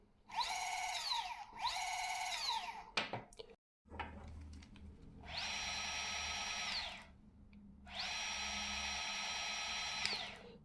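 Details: Bafang M560RS mid-drive e-bike motor, 0 km, on the bench with no load: clean whine climbs in pitch, holds at high RPM and winds down, with no grinding or clicks; normal unloaded motor noise.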